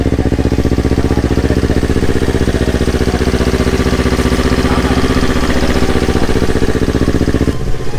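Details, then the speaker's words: Yamaha R25 fitted with a Yamaha R3 engine, first start after the swap, borrowed Akrapovic exhaust: firm, even twin-cylinder beat at steady idle, no ticking, knocking or misses; idling normally. "Nih knalpotnya pakai Akra dulu. Suara sih nggak beda jauh ya. Blok R3 halus suaranya."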